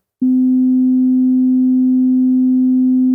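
A pure, steady low tone about three seconds long with no rattle or buzz riding on it; the driver sounds clean and healthy.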